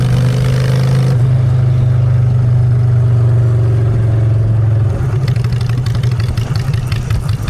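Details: Honda Shadow V-twin with new custom exhaust pipes, in neutral: smooth, steady idle on choke, then crisp throttle blips that rise and fall cleanly; running right, normal idle and revving.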